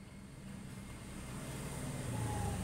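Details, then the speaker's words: Refrigerator compressor powered at 220 V via C and R terminals: low steady mains hum with vibration, never runs up; start winding open, so replacing the PTC won't help, confirm with tester. "getar ini jadi kompresor ini getar ini kalau anda ganti PTC berapapun bahkan baru ini tidak bakalan hidup"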